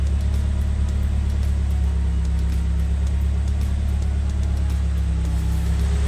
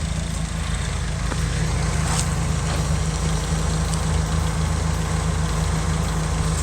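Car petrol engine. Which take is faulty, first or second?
first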